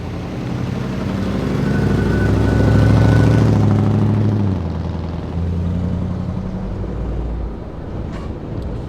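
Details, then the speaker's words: 1960 Ford Starliner with a new Holley 600 CFM carburetor, after the distributor timing was corrected and fresh oil put in, driving on the road: a smooth, even engine note rising and falling with speed, no knocks or misses, running healthy. "so luckily after some time the engine started running normally and it sounded healthy"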